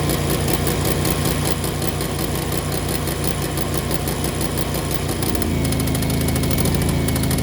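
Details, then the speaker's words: Generac home standby generator right after its yearly oil change, switched to manual and run about 20 seconds to circulate oil: steady, even drone settling slightly in pitch, no knocks or misses; normal running. "I basically came over here put it to Auto and then I put it on manual to uh turn it on I ran it for you know for 20 seconds or so just to get the oil to circulate"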